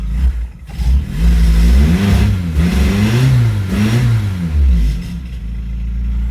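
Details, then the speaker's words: 1986 Toyota Tercel 4WD station wagon, small four-cylinder, after upgrading to a 120 A alternator plus new battery cables and terminals; revved up and down smoothly, reading 14.3 volts, so it's charging; clean, even, healthy engine. "We got 14.3 volts. That means we're charging."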